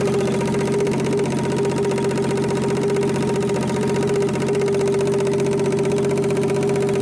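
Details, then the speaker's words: 1960s Rambler 195.6 inline-six, first start of a used pulled engine, vacuum leaks plugged, idled down: steady idle with an uneven dull knock underneath; rod knock, likely a spun bearing, and the engine is judged not worth saving. "I don't know how well you can hear the rod knock. It sounds like a spun bearings, what it sounds like, but I don't know how well you can hear it on video."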